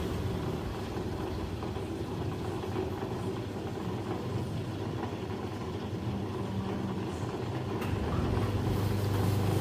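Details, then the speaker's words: Low rumbling spin with uneven thumping about four times a second, rising near the end, from a Beko WS832425s washing machine on its second intermediate spin with a bulk load; slightly unbalanced, suds-locking again and flushing, then reaching 600 rpm. "slightly unbalanced and no no he doing it again it's s locking m is locking again here it's flushing it make it to 600"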